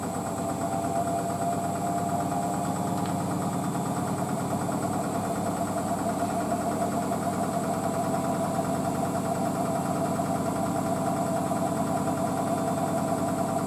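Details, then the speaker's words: Hotpoint WD640G Aquarius+ Super Silent washer dryer with an inverter motor and 1400rpm spin, standing on a possibly slanted concrete floor: the motor hums smoothly at an even pitch with no thumping or wobble. Balanced, normal high-speed spin. "that's awesome very stable though I'm telling you that was on balance but machines are quite stable"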